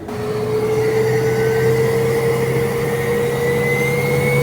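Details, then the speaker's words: Replacement turbo for a Mitsubishi 4N14 diesel, tested on a diesel Adventure: a smooth whistle climbs steadily in pitch as it spools, no grinding or rattle; healthy, lacking the failed turbo's noise. "Ito yung buong turbo. Wala siyang ganung ingay na narinig natin doon sa isang turbo na talagang sira na."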